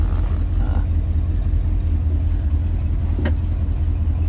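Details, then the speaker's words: 1971 Ford Torino GT, 302 V8 automatic, warmed up at idle with oil pressure over 50 psi: deep, loud rumble with rough, uneven puffing; rusty tailpipes need replacing, exhaust leak. "just ride it up real quick and you can see the oil pressure as you can hear it needs tailpipes they're rusty so it's got exhaust leak"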